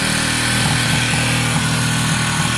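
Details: WK RT125 motorcycle with a new top end, first run after refit, choke on. It idles quiet and smooth with small even ticks and a regular beat, no knocks or rattles. Engine sounds healthy: normal idle.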